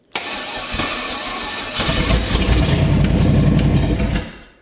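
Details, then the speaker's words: 1969 Chevy 327 V8 on a wheel dolly, kept going on starting spray with ATF in the fuel mix, which will smoke: lumpy, uneven, rough low-speed firing with no steady idle. "It's going to smoke a little bit cuz all the ATF in that mixture, but all right. See if I can keep it running on the spray."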